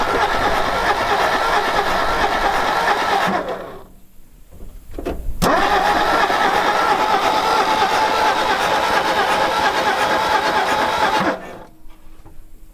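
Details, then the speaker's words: 1960 Ford F100 panel truck, sat about 40 years: two bursts of steady starter cranking, about three turns a second, no firing; cranks but won't start. Then choked, owner thinks it needs more fuel; later fuel poured in, suspected flooding. "Let me choke it a little. >> Choking it. >> Yeah. Might need more fuel."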